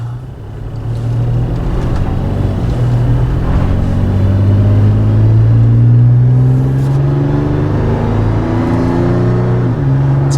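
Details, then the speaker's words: 2012 Toyota FJ Cruiser on test drive with new MagnaFlow cat-back exhaust replacing rusted OEM system: deep smooth rumble climbing through the gears, no drone, rattle or leak; robust normal exhaust note under acceleration. "I like it. It's got a little more note to it. some throat. Doesn't drone out and get weird. I like it. Sounds robust."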